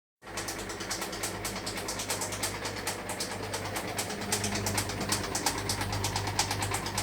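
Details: Hotpoint washing machine on final spin: fast, uneven clacking about three knocks a second over high-spin hum; owner suspects a string from pants catching inside the drum; knocking during spin.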